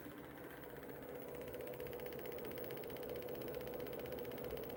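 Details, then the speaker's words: DIY pulse motor switched to a 9-volt battery, previously drawing under 100 mA: faint steady whine with fast uneven ticking about four per second; rotor shaking, owner suspects rotor not mounted sturdily, unconfirmed. "Well, that doesn't sound right, does it? Yeah, that's making sound. Is it shaking? I don't know, man. Yeah, it's just shaking."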